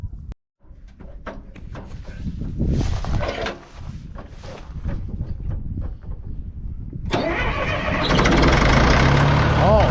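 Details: Caterpillar 955L track loader, sat unused for years, with batteries just connected: several seconds of cranking, then catches quickly and settles into steady, even low rumble; normal cold start.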